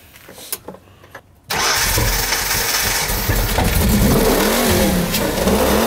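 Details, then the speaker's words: 1995 Mustang donor car, first start after years abandoned; a long crank catches into a loud, uneven idle whose pitch wavers and hunts up and down. Oil pressure is good, but it runs rough after sitting, cause unknown, and the idle needs work. "got oil pressure sweet that sounded terrible wow"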